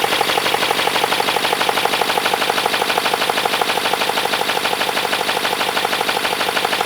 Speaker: >> Okay, it sounds good. But one thing that I don't want to happen is something overheating and welding itself on like the plastics.